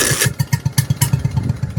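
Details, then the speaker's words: Stuart generator engine with cleaned plug, no fuel system or water rigged, weak batteries, petrol coming from the exhaust; owner wonders about the carburettor reassembly: quick popping bursts around eight a second, nearly catches but won't start. "That was close. Was it up, guys? That was close. That was so close. She was so close to picking up and running there."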